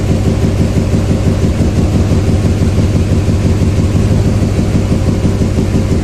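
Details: 2007 Duramax LMM diesel at idle with a regular stumble about twice a second, a significant misfire; there is also no communication with any controller (CAN wiring fault on the high-speed network). Valvetrain problem suspected, unconfirmed.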